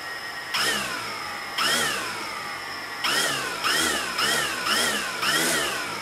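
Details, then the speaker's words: DJI Phantom Vision quadcopter fitted with new MN2214 V3.0 Tiger motors, first power-up: six short throttle blips, each a clean whine rising and falling, no rattle or grinding; motors spin up smoothly and normally. "they seem pretty responsive really smooth sounding if you can hear that in the video yeah think they're going to be fine"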